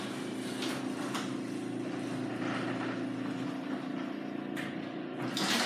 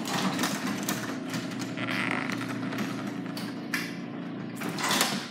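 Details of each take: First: Garage door after oiling and lubricating; smooth, even opener hum with no squeaks or roller grinding; quiet garage door operation. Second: Garage door before lubrication: rough, scraping run with creaks and squeals as the door travels; dry rollers and hinges need lubrication.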